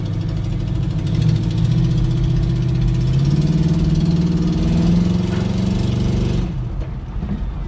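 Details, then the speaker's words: 1972 Chevrolet Nova SS clone with a built 355 crate V8, about 4,000 miles on it: lumpy revving with a rapid, uneven ticking puff rising with engine speed from an exhaust header leak; the engine itself is otherwise fine. "That last bit, you can really hear that exhaust header leak. I know it sounds really bad, but just know that it's not anything wrong with the engine other than that exhaust leak."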